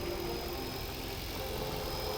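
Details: 2008 Toyota Prius Gen 2 auction donor car for boat conversion, just started after sitting long with initial strange noise from dry engine top: low even hum, smooth and steady, no ticks or misses; healthy idle.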